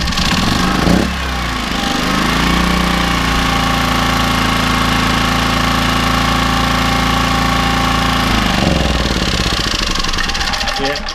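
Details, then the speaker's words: Small generator after carburetor clean, first run in about a year: catches, settles and holds a steady even drone for several seconds before shutdown; runs smoothly, no fuel leaks. "I thought I bought a bit of lemon there but actually it runs pretty well and no fuel rigs I'm all good to go"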